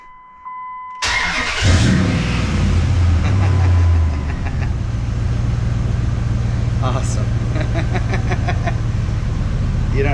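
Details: Truck after fuel pump replacement (had died on the road from fuel starvation): after a short crank the engine fires and settles into a steady, even rumble with no misses; starts and runs fine.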